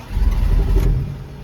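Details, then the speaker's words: Cold start with cold-weather choke after fuel splashed down the carburetor and one accelerator pump: engine catches with a rough burst, runs ragged under a second, then sags toward a stall; owner suspects timing is off, unconfirmed. "Yeah, it don't like this cold weather choke. Trying to crank it."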